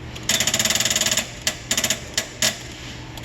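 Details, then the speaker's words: Car that still won't start after a new battery: rapid metallic solenoid chattering in bursts with no cranking, caused by voltage drop over 0.2 V at the corroded positive terminal; bridging post to cable with pliers makes it start. "go ahead and attempt to crank it i don't know if you hear that click click click click hear all that"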